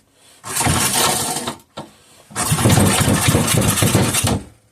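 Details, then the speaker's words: Rebuilt 5hp Briggs and Stratton single with many parts replaced, pull-started on choke with fuel added: catches with a rough, uneven putter, dies briefly, then fires again for two seconds; it's running, choke then taken off. "Hey, what do you know? She fired. Let's take the choke off."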